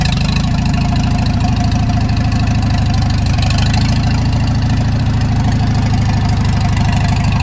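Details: Farmall Super M tractor petrol engine idling with a steady, regular knock on its low even beat, before removing the loader for an engine rebuild to find the knock.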